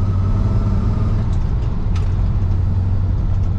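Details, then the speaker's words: Lifted squarebody Chevy on test drive with hubs likely locked, after fix with a spacer: steady low drone, no knocks or clunks from the transmission tunnel anymore; drivetrain noise gone after repair. "all right no coming from the transmission tunnel anymore so i think we found a way to uh make this work"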